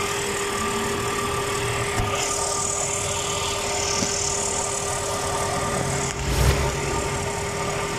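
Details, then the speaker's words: Truck A/C compressor that was squealing, now after the WD-40 fix, engine idling with the A/C on: only a faint steady hum with no squeal or rattle. The noise has practically disappeared. "ah como nos pudimos dar cuenta y el sonido prácticamente desapareció"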